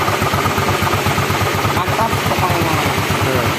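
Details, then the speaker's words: Yamaha Mio scooter engine freshly assembled with new piston, cam chain fitted, after checking oil flows up: quick even idle putter, steady beat, no knocking or rattling — normal idle. "Here, guys, the oil has to go up, guys, guys, the oil has to go up, now, it's up, bro, okay, guys, the motor is already running."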